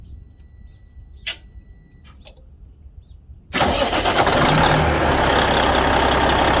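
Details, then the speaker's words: Detroit Diesel 60 Series engine in a Freightliner after replacing the third injector: it starts straight into a steady, even idle with no stumble and runs properly. "we finished replacing the third injector and everything seems to be working fine now we're going to turn it on so you can see"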